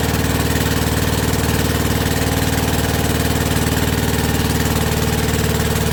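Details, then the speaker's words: Rebuilt WW2 generator, single cylinder, at first start on its original warm piston with about a quarter choke: an even, steady thump around four beats a second with no misses or knocks, and no smoke. A normal healthy idle. "is absolutely splendid. And she's not smoking, look. Not smoking at all, even with that warm piston."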